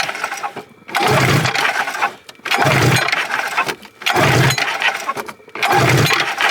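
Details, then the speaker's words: Polaris XLT snowmobile, 1,400 miles, pulled over by hand on cylinder one during a compression test with the throttle zip-tied wide open. Slow, labored pull strokes about every 1.5 seconds, each a long rough whoosh: very hard to pull over. Compression is runnable but below the roughly 125 expected. "THIS THING IS INSANELY HARD TO PULL OVER."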